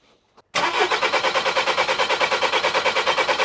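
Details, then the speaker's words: VW Caddy Maxi 1.9 TDI PD diesel in workshop after injector seal replacement catches quickly and settles into an even idle with usual diesel clatter, about three beats a second, no misses; normal idle. "Yeah, it sounds good as well, Rowan. Smoke out in the workshop. Sounds lovely."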